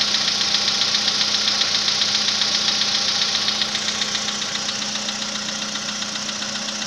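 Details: VW Polo Sedan built March 2014, 67,000 km, Liqui Moly oil; cold-start knock that began around 65,000 km. Sharp, even metallic tapping at about 2.5 per second over a hissy cold idle, fading slightly as it warms.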